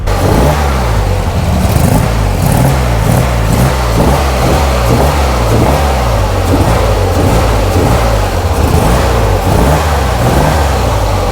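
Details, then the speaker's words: Flood-damaged Corvair flat-six on custom fuel injection, idling about 1,000 rpm running slightly lean: steady low burble with quick, clean throttle blips rising and dropping crisply; snappy throttle response, sounds healthy. "it is Snappy I mean that throttle just bam pops right off and sounds really good"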